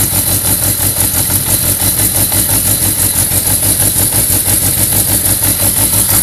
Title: 1991 Yamaha XJ600 rough idle